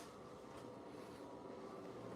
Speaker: now. Sounds like a air conditioner. It's called the water circulation.